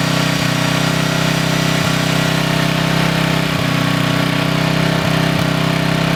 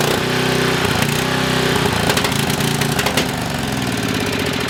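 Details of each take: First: Coleman Maxa 5000 ER 5000 W generator after carburetor replacement: the engine holds a steady, even drone at constant speed for ten seconds, then cuts out abruptly; it runs smoothly and sounds healthy. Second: Coleman Maxa 5000 ER 5000 W generator, small single-cylinder engine: runs loud but uneven, its beat wandering and sagging, then bogs down and shuts off after about a minute; fuel starvation, with debris found in a carburetor needle hole.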